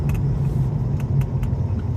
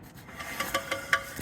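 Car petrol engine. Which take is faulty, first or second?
second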